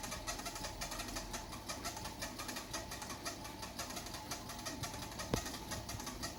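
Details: Xiaomi WalkingPad C1 treadmill: a quiet, chirpy squeak repeats about twice a second as the belt turns at startup. It happens only after the pad was folded or unused for 8–12 hours and is gone after about 2 minutes; the owner wonders if it needs lubricant.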